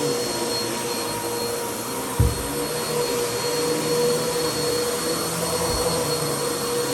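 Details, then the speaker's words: Bissell CleanView vacuum after its bad motor was replaced with a used donor motor: smooth, steady high whoosh at constant pitch, much quieter than before, no grinding or rattle, brief handling bump; motor healthy. "works pretty good it's a lot quieter now that motor is replaced works pretty good though"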